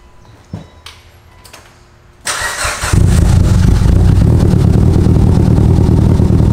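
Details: 700 HP Mitsubishi Evo, restart after plugging back in a disconnected injector: a few clicks, then prompt catch and steady even idle without misfire; smoke burning off oil on parts.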